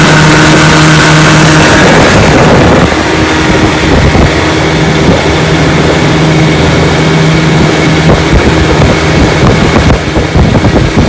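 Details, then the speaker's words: 1955 Johnson Seahorse 10 hp outboard, mechanically restored (ignition, carburetor and lower unit rebuilt), at full throttle pushing a 14 ft john boat about 18 mph: strong, even buzz over wind rush, no misses or surging, running healthy. "so she's a good one he pushes my john boat my 14 foot john boat here about 18 miles an hour which is awesome for 10 horsepower"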